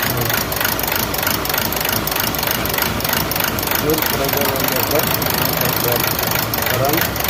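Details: Toyota Etios diesel engine at idle: uneven stumbling beat of dull thuds about three per second over the engine note; misfire, cause unknown.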